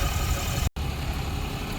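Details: Diesel truck idling after the popped-off bottom radiator hose was refitted and the coolant refilled; running about 5 minutes. Deep, even rumble with steady firing and no knocks or misses; smooth, healthy idle.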